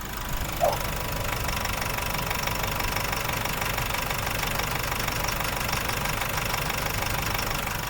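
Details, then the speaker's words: Nissan NP300 Calibre diesel, engine under load in reverse (quiet at idle and in neutral), heavy oil spatter: coarse uneven knock about twice per second over engine note; engine knock. "Yan yung engine knock na gusto nating mawala yung tunog na yan."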